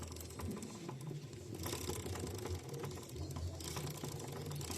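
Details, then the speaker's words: Carbureted Shineray SHI 175 (SH175 square headlight) motorcycle: rapid uneven clicking rattle over low engine hum, not the engine but a worn, likely counterfeit, drive chain. "Não se assuste, tem nada a ver com o motor, é apenas a corrente."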